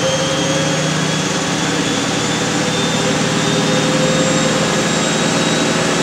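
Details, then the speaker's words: Miele W562 washer, Minimum Iron 30°C cycle with Short and Water Plus options, small load of woollens/hoodies; smooth steady high-speed final spin with even hum, no thumping or rubbing, balanced; short final spin but does the job, normal. "there we go so pretty short final spin but it it does the job"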